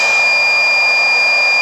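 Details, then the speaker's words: DIY Nissan Leaf module battery pack with a 1500 W inverter under heavy load of about 62 A: loud steady high-pitched whistle over harsh hiss; low-voltage alarm starting around 20.5 V, with shutdown at 19.9 V. "the voltage was dropping off significantly and the noise it starts making is so annoying at twenty point five volts"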